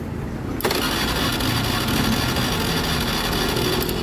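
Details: Fuel-injected motorcycle: steady starter cranking about four beats a second that never fires. No spark, no MIL, and no injector ground signal on the bulb test. Mechanic suspects the ECU has entered a special mode; not confirmed. Crank, no start.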